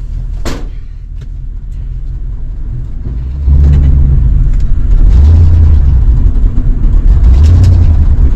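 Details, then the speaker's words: Plow truck in a snowstorm, still running rough after a vacuum hose was replaced: a deep rumble with an uneven, hunting beat. Owner still suspects fuel starvation and plans to test the in-tank electric fuel pump. "well that still ain't running good enough something's wrong yet I still think fuel starvation is the problem"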